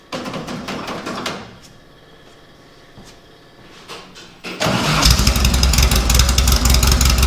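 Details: 1956 VW oval-window Beetle air-cooled flat-four engine start-up: starter cranks briefly, a pause, then it catches and settles into a steady, even idle with no knocks or misses; sounds good.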